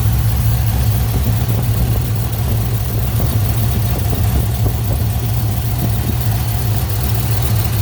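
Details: 2018 Dodge Charger R/T V8 with Jay Greene 217/238 cam, long-tube headers, full exhaust, intake and Diablo tune, warmed up a little: deep choppy idle lope, uneven thumping about two per second, steady and strong. Normal, extremely healthy.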